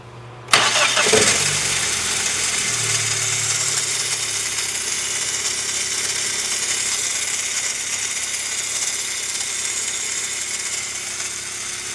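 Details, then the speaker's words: 1998 Dodge Neon 2.0 I-4, 5-speed manual, noise just after start or while cranking; high harsh metallic scream over cranking lingering after the engine catches; starter drive pinion hanging up extending and retracting, bad starter. "Okay, I think it's pretty obvious that that starter drive pinion is not coming out properly and it is not going back properly."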